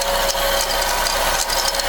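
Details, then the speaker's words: 2005 Mazda6 2.3L four-cylinder DOHC at cold start; fast metallic rattle from accessory drive, not valves; owner suspects power steering pump, possibly water pump or AC compressor, likely a spun bearing. "here we are this is what sounds like cold and hear that rattling noise it's not the vals at all um it sounds like it's coming from the power steering pump"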